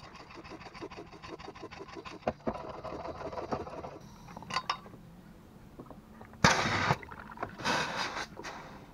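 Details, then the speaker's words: Coolant reservoir cap tested with a hand pump via the breather return line: quick pump strokes, then short sharp hisses as the relief valve vents at about 14 and pressure stops rising, correct opening pressure. "ет расти и на 14 она остановится и будет слышно шипение с под крышки"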